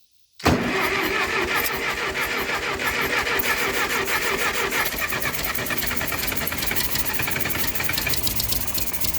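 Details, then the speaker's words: Ferguson TO20 tractor that sat three to five years, on choke, with distributor timing being adjusted: catches after cranking but runs rough and uneven, about three stumbling beats a second, not yet firing cleanly. "oo did y'all hear that hot dog we getting somewhere now y'all"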